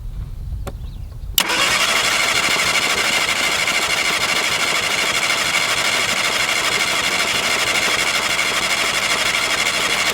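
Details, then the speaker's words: MK1 Mini Moke, engine seized from sitting and freed with a wrench on the crank, first start: it catches straight away and settles into a steady, even run with no knocks or misses; normal running. "Oh, okay. Oh, that was it? Yeah, of course. This thing sounds good."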